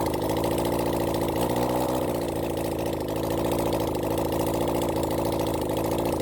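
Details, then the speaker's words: Rebuilt Honda CB400 Four engine on a bench run during carb balancing: the idle stumbles with an uneven, lumpy beat and dropped firing pulses, a sudden misfire blamed on one failing coil pack. "you'll probably he this bik got quite a bit of a misfire suddenly it picked up uh it's just a one coil pack here"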